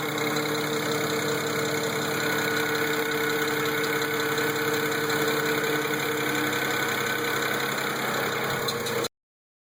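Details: N54 engine idling with light rapid ticking, about three or four a second; traced to faulty boost pressure converters (boost solenoids). Replacing both converters stopped the noise.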